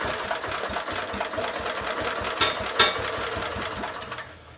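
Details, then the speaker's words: 1970s Honda E2500 generator, a couple of ml of fuel syringed down the plug hole, choke on: quick uneven popping for a few seconds then dies; engine fires briefly on primer fuel but won't keep running. "Let's try that now. That. Almost. it wants to go."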